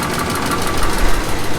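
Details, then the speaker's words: 1954 Caterpillar No. 6 shovel diesel, first start after 15+ years in a barn, a little smoky: low, heavy idle with a light tick while the decompression lever was left engaged; closing it restores full compression, though a slight tick seems to remain. "Alright, so I had the decompression lever still releasing the compression, so now we're all the way on a run."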